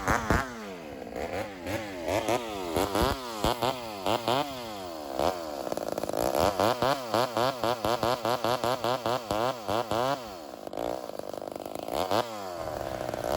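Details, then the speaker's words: Vintage Homelite Super XL 130 chainsaw, rebuilt, cutting wood while the high-speed mixture is tuned. It climbs and drops in the cut and four-strokes (barks) as the load eases. The mixture is a tad rich and could be leaned slightly. "So this is just a tad rich. So what you're going to see here is as I even just release a little bit of the pressure of the saw on the wood, it starts to bark at me. It starts to four-stroke a bit."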